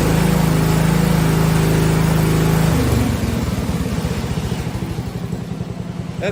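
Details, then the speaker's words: 1971 John Deere 110 engine after conversion from magneto/solid-state to battery ignition, original points and condenser kept; started easier. Steady high clean note, drops smoothly to even idle without stumble: clean throttle response, major improvement. "major Improvement I will say that it would not go like that before"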